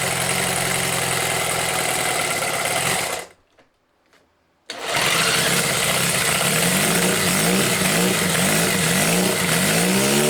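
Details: Homemade four-cylinder CD125four engine (Honda Monkey converted, ver1.1), indoor start test after sealing head gaskets against blow-by: fires after a brief pause, settles into steady even idle with slight throttle wobble, running cleanly; normal idle.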